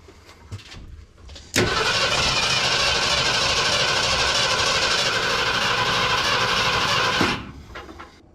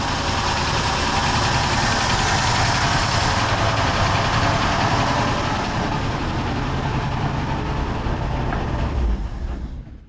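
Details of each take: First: 1972 Ford F100 with FE 360 V8, start attempt, hooked to remote starter, fuel poured into carb bowl; steady cranking about six seconds, even chug, never catches — crank no start, fuel starvation. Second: 1972 Ford F100 FE 360 V8 after tapping carb to free sticking needle and seat; smooth even idle, steady low rumble, no knocks, misses or hunting — normal idle after fix; engine leaks from somewhere.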